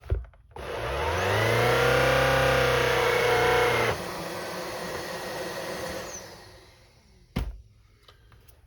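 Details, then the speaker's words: Shark Rocket Pro UZ145 cleaner head: motor spins up to a steady whir, drops suddenly after three seconds and winds down; hair-jammed brush roll overloading it so it cuts out. "all right so this machine turns on spins and then kicks off i'm gonna open it up and see what we can figure out see if we can find out why it's kicking off"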